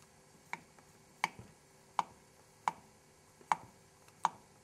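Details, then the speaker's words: 1974 Honda CB750 cylinder head during rebuild, unlapped valve tapped: six light taps about 0.7 s apart, each a short dull click with little ring, unlike the tingy lapped valve; valve not seating properly, which loses compression. "it's a high-pitch tingy metal sound now listen to how dull this valve"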